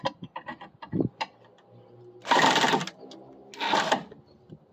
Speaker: Chatter's a bad sound. You hear the drill chattering like that, it means you're not in the head properly.